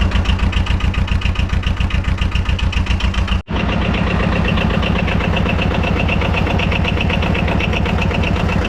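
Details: 2007 Arctic Cat 700 diesel ATV after fuel filter replacement and priming, started after glow plug light off: catches and settles into steady even chug about two and a half beats a second; healthy idle, no misses.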